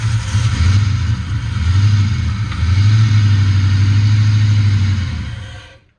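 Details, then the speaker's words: Foxbody Mustang 302 V8 with B303 cam, first start after about 3 years sitting: lumpy, stumbling idle that dies out; running on 7 cylinders (one plug wire removed) with four vacuum caps off causing vacuum leaks. "Well, she still lives. I realize there are 4 vacuum caps off of it, so that's why it's not running that great right now."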